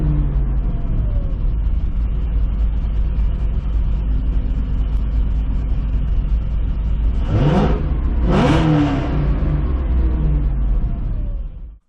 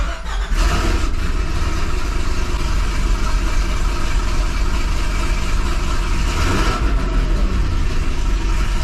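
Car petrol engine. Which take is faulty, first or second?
first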